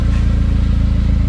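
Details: Saab 9-5 wagon (turbo) with new Flowmaster muffler, exhaust welded with no leaks after failing inspection for a claimed leak: deep, loud, even burble with steady low pulse, no puffing or ticking; healthy, throaty aftermarket exhaust.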